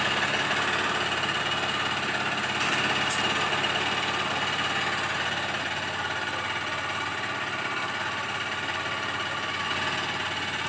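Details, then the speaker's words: BS6 Honda CB Unicorn 160 motorcycle at idle, with its RPM meter not working. Steady single-cylinder idle with a light, even tick about three or four times a second on top; engine ticking, cause not pinned down. "ये टिक टिक टिक टिक की आवाज़ आ रही है। मैंने उसमें भी बताया था, हॉर्नेट 2.0 में भी यहाँ से समवेयर यहाँ से आवाज़ आ रही है, टाइमिंग चेंज की या पता नहीं किस चीज़ की।"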